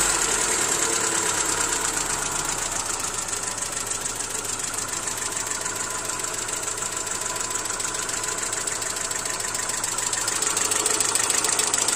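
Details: Hyundai Accent SOHC 12-valve petrol engine at idle with a fast, light metallic ticking over the steady idle; lifter (tappet) noise.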